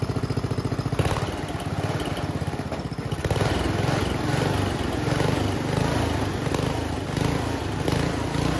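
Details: Homemade junkyard go-kart small engine, after a carburetor clean with the air box off. It runs rough and uneven, with irregular sharp backfire pops through the exhaust. The owner thinks it is running a little lean.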